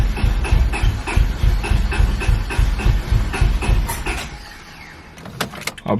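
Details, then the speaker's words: Honda Civic B20 after welding a hole in the block from a broken VTEC oil fitting, ECU unplugged during the work: spins over on the starter with an even chugging beat about 3.5 per second but never catches; owner suspects no fuel reaching injectors. "i'd have to check but it sounds like there's no fuel so let's see might probably be a good idea to do that"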